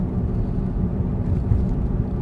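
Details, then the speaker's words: 2005 Smart ForFour at about 25 mph coasting downhill off throttle: steady low droning hum that follows road speed, not revs, from a worn front wheel bearing. Usually heard above 40 mph, not when braking or accelerating. "And sometimes actually the humming noise actually makes my ears pop."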